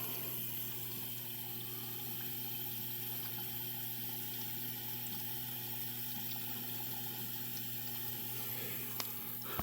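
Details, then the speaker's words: Dishwasher after the drain pump stops: a steady hiss of water filling over a low, even hum, with no leak underneath and no knocking. The fill is normal, and the no-start complaint was user error. "there you go it stops and I can hear the unit filling up there is no leak under here so that is good and once the unit fills up it should start the wash side"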